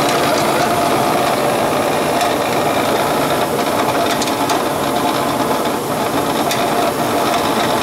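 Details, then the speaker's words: Gas furnace with no heat that fires up then shuts off, and is loud when running. A loud, rough mechanical rattle and whirr with uneven ticking over the motor hum. An inducer/blower fan blade is possibly out of balance. "there's a fan blade in it that's just maybe a lot of balance"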